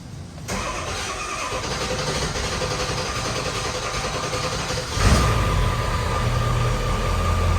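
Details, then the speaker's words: 7.3 diesel truck first start after high pressure oil pump replacement, reservoir pre-filled to prime: brief crank, catches within a second into even diesel idle; starts clean and healthy. "There it is. Fill that reservoir up, you ain't gotta crank it very much."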